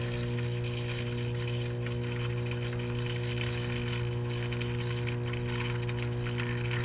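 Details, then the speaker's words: Taco 009 circulator pump on a Central Boiler CL 6048 outdoor wood boiler, about six years old, not circulating water: constant heavy low hum, far louder than usual, pump extremely hot to the touch; failing pump cartridge. "so our pump is never that loud it's never making that much noise it is extremely hot to the touch"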